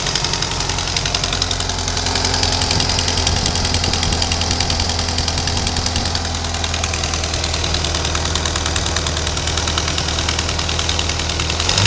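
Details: 1992 Ford Ranger 2.3 at idle, engine reportedly rebuilt under 4000 miles ago: fast steady light ticking with a constant airy hiss, appeared suddenly; engine otherwise runs well, cause unknown.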